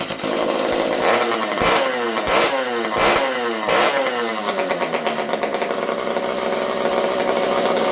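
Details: Partner P42 two-stroke chainsaw with a newly built exhaust pipe: revs up and sags in uneven surges, running rough. Owner suspects the carb is slightly lean or the old saw has an air leak, and adjusts the low jet; unconfirmed.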